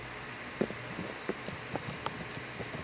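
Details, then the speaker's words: E3D Hemera XS Revo extruder, disassembled after only its second or third print, idler still flush: gears turned by hand give irregular gritty, grindy clicking like the noise during printing; it cannot move even with one gear removed; cause unconfirmed. "hear how grindy that is and it seems like a very similar like grindy clicking noise as you would get from from it during the print"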